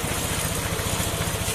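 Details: NMAX 155 scooter after replacing a defective cam chain tensioner that caused an unusual engine sound: steady idle pulsing about fourteen times a second, no chain rattle or ticking; now quiet, normal idle.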